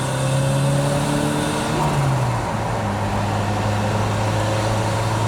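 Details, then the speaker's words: 1983 Lotus Esprit Turbo, stock 215 hp, possibly modified, driving in second gear: engine note climbs smoothly, drops cleanly at shift, pulls again; builds boost nicely, no hesitation. "We'll roll it into second here. And it builds boost nicely."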